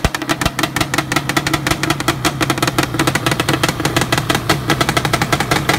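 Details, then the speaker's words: Yamaha Banshee two-stroke twin, engine with four years on it: crisp, rapid, evenly spaced crackle holding a steady beat without stumbles; firing cleanly, normal running. "this engine here has got four four years on it and she still sounds great on fire it for you guys real fast before I was it get in the shop"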